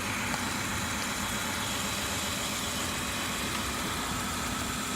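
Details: 2003 Kia Sorento with misfire codes for cylinder one: rough idle with an uneven stumble under a hissy background, caused by a leaking spark plug boot arcing; engine misfire.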